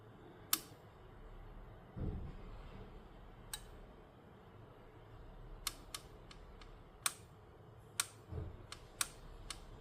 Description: If left on, then after brewing the plate periodically "clicks" until the plate turns off after set period of time.